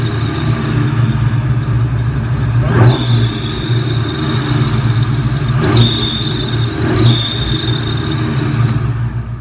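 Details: 2004 Ford Mustang Cobra supercharged V8 idling with rev blips: high thin squeal that jumps with each blip, supercharger belt slipping from a bad tensioner arm; new tensioner and belt seemed to cure squeal and high-rpm slip.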